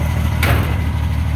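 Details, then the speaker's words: 1953 Chevy tow truck, started right up after sitting for months, not driven in decades: even low idle rumble with a single brief thump midway, otherwise steady and smooth; normal idle. "yeah well it literally started right up and it's been months since we had this started so it's a good old truck"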